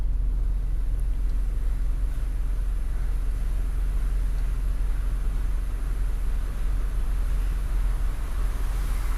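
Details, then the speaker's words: Car on the road after tightening a loose nut found while checking front suspension for a duk-duk knock: steady low road rumble with no knock or clunk over bumps; front suspension now tight and quiet. "hai oke Ya jelas ya memang bunyi tuh hilang ya gara-gara dia punya not longgar"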